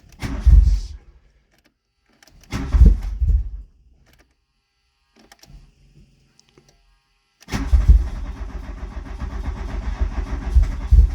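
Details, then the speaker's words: Mk2 VW Golf with K-Jetronic injection, cold start: two short cranking bursts die, a weak cough, then a rough, uneven catch. Hard cold start; timing and CO already set, and the warm-up regulator is being checked. Cause unconfirmed. "the issues I've got to start off with is basically when it's on a cold start it does not like to go at all um and it takes a few turns which I will show you now"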